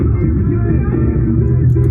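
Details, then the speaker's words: JBL EON 515XT bi-amped active speaker with an active crossover, playing music: deep bass but no highs, dull and muffled, and the treble control has no effect. Only the bass speaker works; the horn/tweeter gives no output. "well I can tell you only the bass speaker is working"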